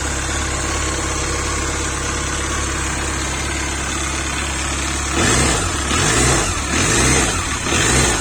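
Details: Engine after alternator removal, idling then blipped: noise remains with the alternator off, source unknown.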